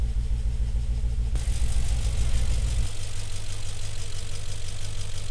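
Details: First start of the engine after timing chain guide and valley pan gasket replacement, in a car with a cylinder 3 misfire mystery: steady low rumble with an even pulse, no ticking or rattle; settles into a smooth idle.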